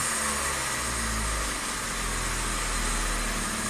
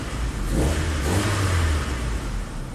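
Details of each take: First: 1998 Saturn crank no-start, fuel pump heard priming: caught only with the throttle floored, then runs at a fairly steady idle with a slight early wobble and some smoke. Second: 1998 Saturn, crank no start after a recent head gasket replacement: catches and climbs smoothly to a free rev and settles, no misses; starts and revs fine, no codes found.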